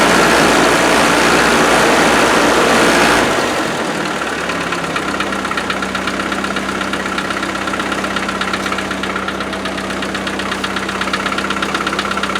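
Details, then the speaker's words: 90 started after four years unused, new coil fitted, little fuel in tank: fast even tick about four per second over idle just after start, like light top-end rattle; cause not confirmed. "And uh let's see if it starts. That doesn't sound good, does it?"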